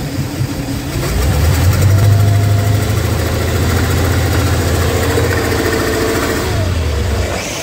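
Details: 1995 Chaparral 2550 SX boat, performance-tuned Mercruiser 7.4L 454 Gen V big-block marine V8, before a top end rebuild: runs rough and low with an uneven popping rattle from a blown head gasket letting in water.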